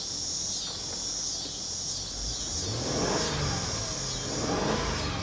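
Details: 2003 Mercedes ML55 AMG, salvage title, being driven to warm the engine: engine note climbs and falls cleanly through a couple of revs over steady road noise, no knocks or misses; sounds healthy.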